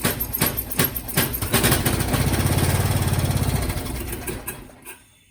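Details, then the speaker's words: MTD Lawnflite lawn tractor, 12 hp Briggs & Stratton single-cylinder with electric start, throttle just above idle: cranks, runs rough and uneven at about 2.5 beats a second, then stalls; won't take throttle; blocked carb jet suspected. "Well, that's clearly fueling. Why is that dying? Oh, it doesn't like full throttle."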